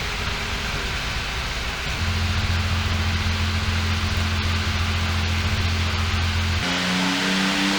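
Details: 1966 Porsche 911 Targa prototype, matching-numbers flat-six (some oil leaks), on a dyno; steady even drone stepping up to a higher held pitch, smooth with no knocks or misses; normal revving.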